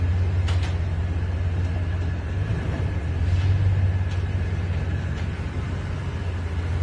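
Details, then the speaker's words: 2020 Toyota Tundra, cold or warm, at slow speed over uneven surfaces in a parking deck and driveway: low engine rumble with sharp, irregular popping and creaking; one pop also on entering after sitting hours; source unknown, similar viewer case was spring and shock assembly. "Also, no matter if truck is cold or warm and has been driving, at slow speeds it makes popping or creaking, multiple noises when driving in and out of my work parking deck and in and out of my driveway, like when it's uneven surfaces at slow speeds."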